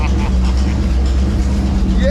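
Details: Dodge D100 long-wheelbase truck with GM HEI module replacing the Chrysler box, running after four months idle, no radiator or coolant connected: steady, even low rumble with no misses, knocks or ticks; runs smooth and healthy.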